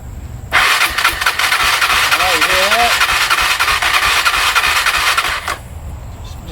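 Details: Honda TRX300EX ATV after part replacement and carb work, which earlier had compression but no spark: rapid cranking chatter at about three beats a second that tries to catch but never runs, possibly short of fuel.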